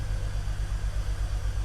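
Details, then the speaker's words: BMW E46 330Ci Clubsport, M54 engine, first start after 7 years parked; low idle with uneven, stumbling beat and dropping pulses, MAF reading zero and intake boot leak found: engine misfire at idle. "It's definitely misfiring. You can probably hear it's definitely misfiring."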